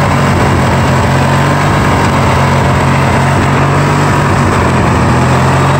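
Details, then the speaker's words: Yard Machines riding mower, 20 hp twin, 42-inch deck, first start after sitting with the fuel system empty: a deep drone that wavers and surges instead of settling. It won't idle down and needs carburetor work. "won't even idle down soul yeah so we need obviously some carb work"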